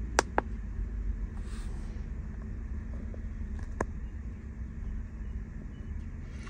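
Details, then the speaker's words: 1998 Ferrari 456 GTA, out of storage with random misfires and a check engine light, restarted after the spark plugs were checked: quiet, even low idle hum with no missed beats and a few light clicks; no longer shaking, idling smoothly. "all right well actually so far it seems really smooth seems like it's kind of idling pretty good it sounds pretty good"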